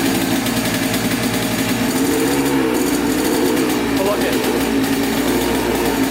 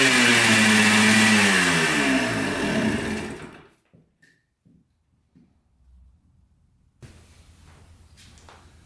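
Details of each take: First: 1996 Yamaha Blaster 200 two-stroke quad, idle recorded up close before repair: rattly, wavering idle that hunts rather than settling. It bogs with no power at full throttle and smokes heavily. Owner suspects a crank seal or air leak; a large smoking air leak was then found. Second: 1996 Yamaha Blaster 200 two-stroke quad after the carburetor fix (thought to have been flooding, with a pin in the wrong position): sharp revs climb freely for a few seconds, then drop, pulling without the earlier bog or loss of power. Sounds fixed.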